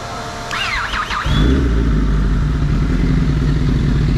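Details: Kawasaki ZX10R, hot above 100° with radiator fan running, new lithium battery: brief starter chirps, catches within a second into a steady even idle; normal hot start despite the earlier no-start-while-fan-on complaint.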